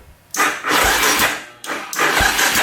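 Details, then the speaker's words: Polaris Predator 500 quad, battery charged for about five minutes and still weak: two slow, laboured cranking bursts of about a second each that never catch, as the starter drags on a weak battery. "This battery sucks. Let's crank this voltage up."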